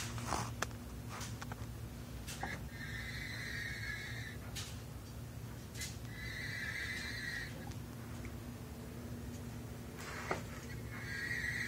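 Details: Chevrolet Silverado 4L60E automatic transmission: short high squealing whines from inside the transmission when the driveshaft is rotated by hand counter-clockwise (drive direction), none clockwise (reverse); transmission whine, cause unknown.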